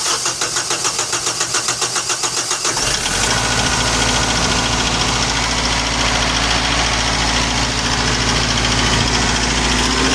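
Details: Kubota M6060 tractor diesel with fuel issue (bogging when warm), after lift pump check, fuel bowl priming and bleeding banjo bolt: steady cranking under three seconds, then catches and settles into an even, strong idle; starts normally.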